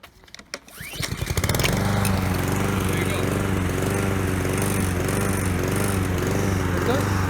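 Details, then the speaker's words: Honda-powered lawnmower that starts well but loses power after about three minutes, heard cutting grass after a carburetor cleaning. Steady drone with a slight rhythmic surge; the owner suspects carburetion. "It does pulsate a little bit, like surge, but I don't know how it worked before this engine, and it's likely carburation, but I mean, I cleaned it as best as I could."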